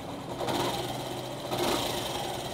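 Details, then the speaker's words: Yamaha YTX125 single, carburetor air-fuel mixture screw set 2.5 turns out from fully closed: starts, then revs cleanly in two short pulls with a quick, even beat and no stumble or popping; mixture sounds right. "Ayun, umandar siya sa 2.5. Then try natin accelerate."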